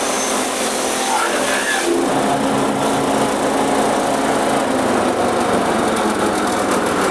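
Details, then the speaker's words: Blitar-made multifunction chopper (forage/grass shredder) small engine with fan belt drive, chopping a solid wooden stick into chips: steady high-speed drone dipping slightly as wood feeds in; normal chopper operation under load. "Ini hasilnya, kawan-kawan. Ini batang kayu bisa menjadi serpian-serpian."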